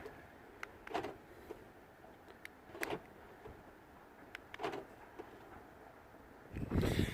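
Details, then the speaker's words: 2012 BMW F20 116d that would not unlock after a battery replacement; repeated lock-unlock from the remote gives crisp clunks about every two seconds, then a busier burst; locking pauses after several rapid cycles to avoid overheating the motors; normal. "uh BMWs they do this after you lock in and lock a few times in a row uh the central heat and the central locking kind of goes in in the pose to not overheat Motors Etc"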